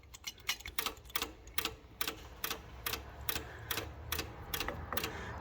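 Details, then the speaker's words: Pre-war Riley Brooklands fuel pump after tightening a completely loose carburettor float bowl; carbs still flooding, owner suspects valve pressure or sticking needles: sharp light ticks about twice a second, uneven; pump keeps cycling. "that seems better now I just hadn't done up the fuel float Bowl tight um it was it was completely loose so pump's giving the occasional tick now"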